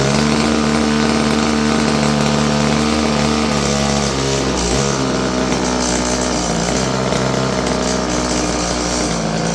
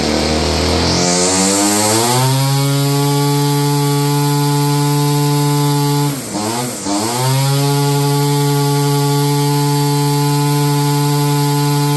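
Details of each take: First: Stihl FS56 curved-shaft two-stroke string trimmer, about 30 years old: runs rough and uneven, no high speed unless choked, pitch sags; owner suspects gummed carburetor. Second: 30-year-old Stihl FS56 curved-shaft two-stroke string trimmer, restarted after the choke killed it: settles from a brief rev into a steady, even buzzing idle without hunting; normal idle.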